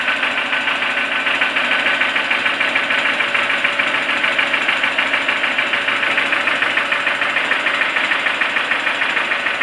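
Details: Toyota 4E-FE engine at idle, recently started knocking: steady fast, even ticking knock about 200 times a minute over the engine; source not yet identified.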